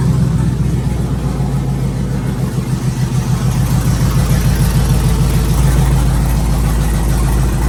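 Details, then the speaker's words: First startup of a twin-turbo LS V8 Chevrolet Silverado build with 1000cc injectors and new exhaust; deep, steady, even low idle rumble with no knocks or rattles, freshly built engine running smoothly. "holy that sounds so good and it's not even that crazy"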